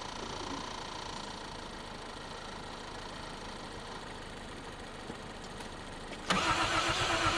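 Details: 1951 Korean War M38 army jeep, not run in years, first start with starting fluid after points diagnosis and fuel pump reconnected: quiet uneven low idle for six seconds, then sudden louder surge; running roughly, fuel may still need sorting.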